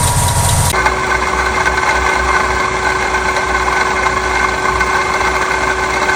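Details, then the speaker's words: Running car engine with a steady rough whirring and a constant tone from a failing water pump bearing; damaged internal pump seals let coolant reach the bearing, possibly leaking near the shaft; fix is replacing the whole pump. "A veces los sellos internos de la bomba de agua se dañan, permitiendo que pase flujo de refrigerante hacia el rodamiento y se dañe. Si pasa esto, podrías observar fugas de refrigerante en las cercanías del eje de la bomba y podrías escuchar un sonido como este."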